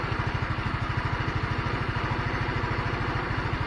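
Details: GY6 scooter after a one-week sit, idling normally after carburetor work to cure slow dying-out: even, steady single-cylinder putter with no hunting, surging or dying out.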